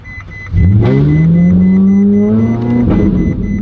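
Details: Ferrari 458 held in gear on the brake: engine jumps up and keeps climbing slowly for a couple of seconds instead of settling; idle surging that also ran up to very high idle, around 7,000 rpm; cause not yet confirmed.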